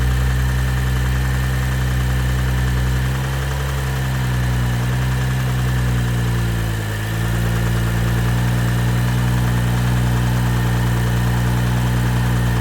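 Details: 2012 BMW 135i M Sport (F20/F21), N55 3.0 petrol, 306 hp, 99,000 km: steady six-cylinder idle with a low, rapid knock dipping with the revs; engine bearing damage, which can lead to total engine failure.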